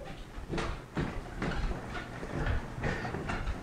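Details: Cellercise rebounder after a drop of oil at the hinge and each steel-on-steel rub point: soft, regular springy thumps about once a second with no metal squeak left, so the oiled rebounder runs quietly.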